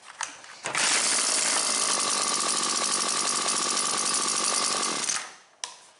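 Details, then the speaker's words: Husqvarna 325P4 pole pruner before repair, intermittent no-start: high, raspy two-stroke buzz that misses badly, stumbles and dies after a few seconds; the spark plug lead has rubbed through on the flywheel and is shorting the spark. "It'll crank fine for a couple pulls. And it just misses like crazy."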